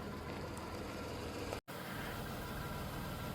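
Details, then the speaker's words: 1991 Dodge Grand Caravan SE, back on the road after sitting since 2003, idling just after the old muffler was removed: quiet, smooth, even soft hum with no knocks or misses, fuel pump audible. Normal idle. "Awesome. You can't even hear it running. It's quiet as can be. Nice. Yeah. Listen to that motor purr."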